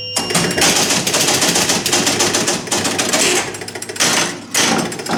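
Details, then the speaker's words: Rebuilt chime unit on an electromechanical Gottlieb pinball machine, glass on, during play; clear low, medium and high bell tones (tens, hundreds, thousands) over ball and flipper clatter, chimes striking cleanly, working properly. "But just listen, you'll hear low, medium, and high. There's hundreds."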